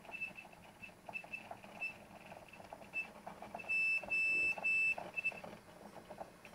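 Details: 2-year-old WD1002FAEX 1TB hard drive after running most of the day, same on two computers: quiet hum broken by short high squeaks, then three longer piercing squeals; drive itself squealing, cause not yet known.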